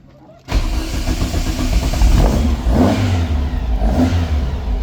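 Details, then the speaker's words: 1957 Oval Window VW Beetle started cold after a carburetor sync, fuel pump audible. Catches and runs unevenly with repeated throttle blips; cold-blooded, won't idle steadily until warm. Carburetors may need more adjustment. "It idles. It seems like it's a little cold-blooded. It doesn't really like to idle until it gets warmed up a little bit."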